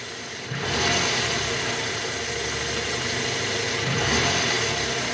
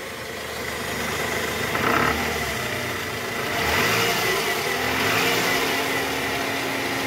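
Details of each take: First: 2009 Toyota Harrier, 2AZ-FE 2.4 engine, in R with the AC on after replacing a worn balancer shaft: even idle with light throttle blips and fan hiss; the earlier rough noise from the oil pan area is gone. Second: Toyota Harrier 2009, 2AZ-FE 2400 cc, just after start with AC on, in R or D: revs rise and fall with a rough coarse rattle from the oil pan area; worn balancer shaft confirmed and replaced, noise gone; disappears with AC off.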